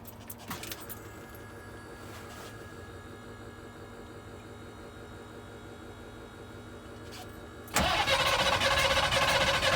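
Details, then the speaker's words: International T444E diesel after roadside broken-piston repair running without #4 piston, first start after injectors removed and reinstalled: slow even cranking about four turns a second for nearly eight seconds before catching; air in fuel system. "anytime you take the fuel injectors out like that it's going to be hard to start for a while until all the air gets out of the system and whatnot"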